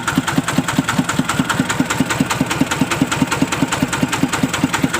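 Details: Thai "e-taen" farm vehicle with an ET11.5 single-cylinder diesel, valves freshly adjusted: crisp, evenly spaced puk-puk beats, roughly a hundred a minute, steady with no misses or clatter. Healthy idle.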